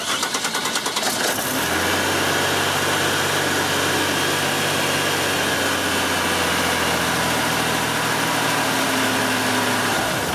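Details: 1995 Buick Riviera GM 3800 with a no-crank complaint caused by a faulty park/neutral switch, starter already replaced: a brief crank, then a steady, even idle with a constant low hum; normal idle.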